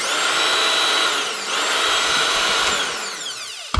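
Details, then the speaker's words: Makita cordless saw that would not switch on, after a new controller was fitted: a clean high whine spins up, holds steady and winds down smoothly with no grinding or stutter. The saw motor runs healthy. "And that should get this up and running again."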